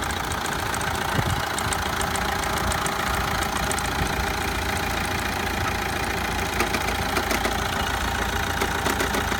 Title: Corsa D 1.7 CDTI - Ball Bearing Knocking Sound on Start